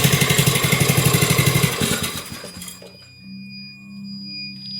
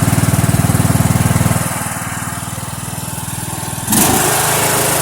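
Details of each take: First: Poulan riding mower engine that needs a head and head gasket, run briefly from cold with the kill wire unhooked: even rapid thumping about four per second, then it stumbles and chuffs out as the carburetor bottom valve shuts it off. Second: Mower "Filthy" started cold after about two months sitting, oil unchecked, kill wire still unfixed: steady, even single-cylinder beat, drops back briefly, then picks up to a smooth fast run; starts and runs cleanly.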